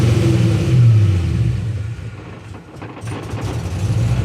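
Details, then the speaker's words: LS1 V8 after a camshaft swap, now able to go into gear without dying. Lumpy idle sags and nearly dies after a light throttle blip, then catches and recovers. Stalls off-throttle, probably tune-related. "all right another thing I have an issue with it dying after I give it a little bit of"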